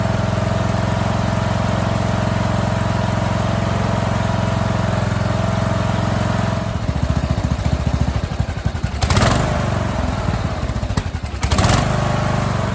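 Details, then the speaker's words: Scrap lawn mower single-cylinder engine, first start after basic maintenance, running without an air cleaner: even, steady run that picks up cleanly on throttle changes with no misfire, popping or knock; healthy. "oh man the stench of Gears of pack rat burning off that engine but she's running really good"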